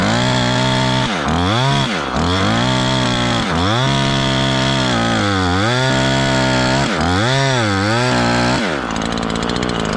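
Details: Ported Husqvarna 543XP chainsaw in repeated cuts: bogs, pitch dropping and recovering with a burbling uneven note; way rich, still four-stroking under good load, main jet needs leaning.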